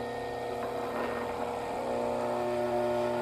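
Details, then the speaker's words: Ventisol Turbo 6 50cm 135W fan after oscillation system repair and capacitor refit, brief test to avoid motor overheating: smooth motor hum with steady airflow whoosh, no knocking or scraping; runs normally. "então amor pa funcionou legal"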